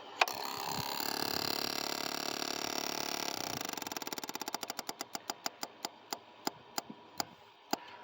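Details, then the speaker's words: New fuel pump just installed on a motorcycle: rapid even ticking that slows and spaces out over a few seconds as the carburetor bowls fill; normal priming, ready to start. "So, as you just heard, the fuel pump just pumped fuel into the carburetor bowls, and it should be full and ready to start."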